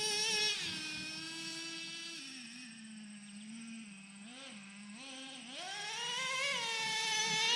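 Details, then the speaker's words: Traxxas Revo 3.3 nitro RC truck, final tune after break-in, warmed up, driving: high buzzy scream drops, holds, wobbles, then climbs cleanly with instant, crisp throttle response; normal revving of a healthy tune. "gear looking good Revo 3.3 Nitro baby all right let's give her go one more time [Music] I like it instant throttle"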